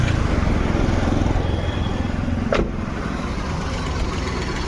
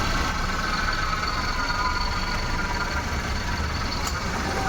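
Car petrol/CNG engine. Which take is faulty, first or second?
first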